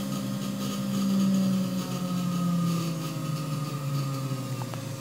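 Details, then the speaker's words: New 3HP ATC spindle on a Hitachi WJ200 VFD at 400 Hz, run up to 12,000 rpm then slowed. Smooth, clean hum with a steady whine shifting slightly in pitch, no grinding; current looks good, healthy. "she'd be able to run this thing really really slow I don't know how much torque it actually has it that speed but it is churning and the current looks good"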